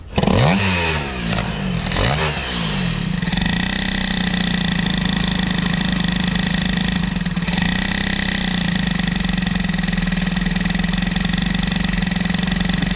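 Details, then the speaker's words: Peugeot 103 T6 65 two-stroke moped: fast, busy idle holding a high steady pitch after a few blips; carburettor idle speed set too high, about to be adjusted. "ah par contre le ralenti il est pas réglé bon on va le régler parce que"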